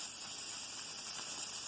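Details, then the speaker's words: All-American 921 pressure canner canning chicken: steady soft steam hiss as the weight begins to jiggle and rock, gauge around 12–12.5 (canner range 8–12); normal operating pressure reached. "Okay guys, I want you to hear the jiggle, and I believe it's starting to come up. And so I wanted you to hear and see what you're looking for. And that is your little weight here is going to jiggle"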